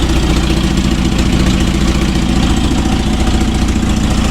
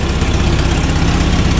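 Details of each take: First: Toyota RA40 Celica with 22RE petrol engine, cold start in freezing weather after fixing the starting issue: starts straightaway and settles into a steady, even, deep idle with no misses or knocks; normal cold idle. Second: Toyota RA40 Celica 22RE idling on a freezing-cold day after a cold-start fix: sharp, rapid ticking with each firing pulse from a bad exhaust leak where mismatched Corona and Celica exhaust parts were hammered together.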